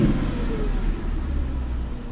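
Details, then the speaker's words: 2017 Chevy Camaro SS V8 salvage car that sat almost a year with rotten gasoline. Revved lightly to about 2000 rpm, it gives a deep, smooth rumble with no tapping, rattle or misfire; sounds healthy. "I'm not revving it much only to about 2,000 rpm"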